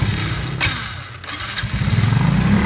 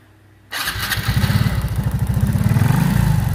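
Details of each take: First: Honda RSX Fi motorcycle with severe throttle hesitation: engine note sags and almost dies, then stumbles back unevenly as spark cuts out intermittently. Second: Honda RSX Fi motorcycle, after fixing severe hesitation traced to a failed ignition coil: catches at once and settles into a quick, firm beat of about three pulses a second without stumbling; clean, healthy start.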